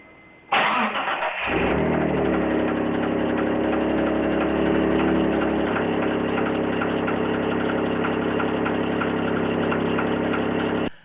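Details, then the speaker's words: Engine with a dented oil pan that most likely restricted oil flow, recorded at purchase before rebuild; it cranks, catches and idles high with a steady deep knock, suspected spun bearing. Rod knock. "so for those of you wondering what needs engine work sounds like this is an old video of me actually starting up the engine uh the audio is not great but you can very clearly hear the engine knock in this video"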